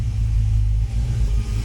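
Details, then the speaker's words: 1966 Mustang with FiTech EFI, idling out of gear: a deep, lumpy idle with an uneven beat, periodic dips and a flat sound, and the car shaking. Misfire traced to no fuel reaching the back corner cylinder. "so I've been chasing this Miss and you'll actually hear how flat it [Music] sounds"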